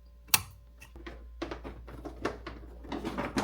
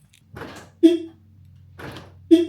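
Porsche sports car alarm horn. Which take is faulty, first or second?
second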